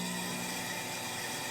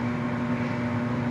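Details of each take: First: Lincoln Idealarc 250 welder cooling fan, which the owner first suspected of bad bearings. It makes a loud, rough rushing roar with a fast uneven rattle instead of running whisper quiet. The fan blade is striking loose debris inside the shroud. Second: Lincoln Idealarc 250 welder cooling fan after regreasing bearings whose grease had dried up (they were otherwise fine; it had been very loud before): smooth steady whoosh with a low even hum, no rubbing or rattle, healthy.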